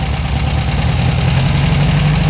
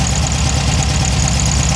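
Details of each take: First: Air-cooled engine before fix: steady, fast idle with no dip or hunt, sitting well above normal, loud enough to wake neighbors; high idle caused by a too-short throttle cable, fixed by cutting down the cable's shaft so an adapter fits. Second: Engine after fixing high rev issue by cutting down the throttle cable shaft so the adapter fits: low, even idle rumble holding a steady beat with no surging or racing; idle now normal.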